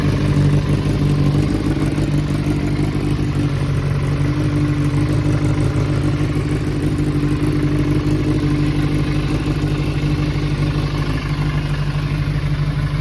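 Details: Kawasaki ZRX400 (ZR400E) running bike, start-up check: smooth, even four-cylinder hum through throttle blips with no ticking, knocking or rattle, and no white smoke stated; the engine sounds healthy.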